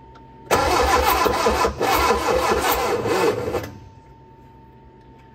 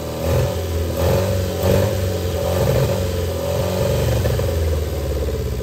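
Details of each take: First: Barn-find Austin-Healey Sprite, engine freshly unseized with head refitted, carbs' float bowls filled, choke held: about three seconds of laboured rhythmic cranking at roughly four beats a second, no catch; starter sluggish, battery perhaps weak, jump pack next. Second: Austin Healey Sprite barn find, first start after freeing seized engine and refitting head, twin carbs, choke held, jump pack: small four-cylinder runs unevenly, revs swelling and dropping with throttle, then settles to a steady low beat; engine runs.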